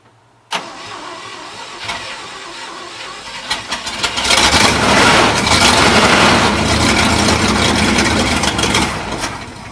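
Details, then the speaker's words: 1971 IH Blue Bird bus engine after spark plug wires were moved one position on the distributor to correct timing: short crank, quick catch, then a steady even run with rising revs. "it's alive it works"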